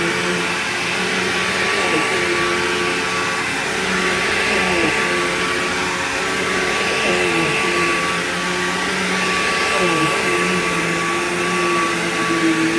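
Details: Bissell PowerGlide Platinum 3545-2 upright vacuum, acquired around 2018, running: a steady motor roar with a thin whine on top that wavers every few seconds. Owner calls the whiny wah noise bizarre and does not know its cause.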